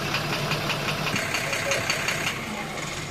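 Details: Engine code 12-M FE idling: repeated sharp metallic knocks, roughly a couple per second, clear over the running note; knock source undetermined.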